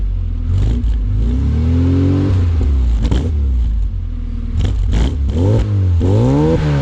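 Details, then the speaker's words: Classic Mini SPI (single-point injection, electric fuel pump) started after sitting for months on a weak battery, catching after a couple of turns: revs rise and fall smoothly with an even, steady note. Normal running. "as you can probably hear guys she's running and even though the battery wasn't the best stuff or something she turned over with him a couple of turns couple clicks and yep five straight up"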